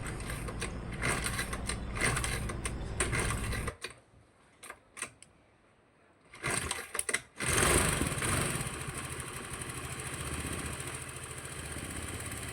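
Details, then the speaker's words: Honda Vario carburetted scooter, piston and oil pump replaced three months earlier, reassembled and idling cooler; after sputtering start a busy idle with light uneven ticking knock from scored piston slapping, engine smoking. "Cuma ini masih ada suara kemelitiknya teman-teman, karena ini dari suara piston yang baret ya."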